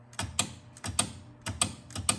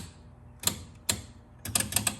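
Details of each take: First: 1976 Bally Flip Flop pinball after cleaning and adjusting dirty, misadjusted flag switches: crisp paired clacks, about five in two and a half seconds, clean with no chatter; flag switches now work reliably. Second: 1976 Bally Flip Flop pinball: sharp irregular relay clicks, single and in quick clusters, at the slightest movement. Relay chatter from oversensitive switches, thought too far apart and needing adjustment.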